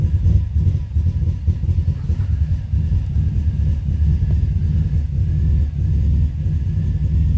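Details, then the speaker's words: 2005 Subaru Forester XT at idle, audibly missing; owner found a coil issue and thinks it runs rich, with hesitation on throttle. Deep, uneven idle rumble with irregular dips and surges in loudness; rough idle, cause suspected, not confirmed. "out I think it's running rich but when you go to hit the gas it don't want to go"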